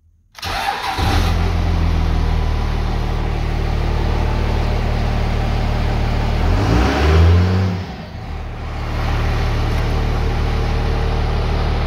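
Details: 1998 Dodge Ram 5.9L 24-valve Cummins with VP44 pump, during crank-no-start diagnosis, warming a component with heat gun: diesel catches right away, blips up around seven seconds, then settles to steady even idle clatter.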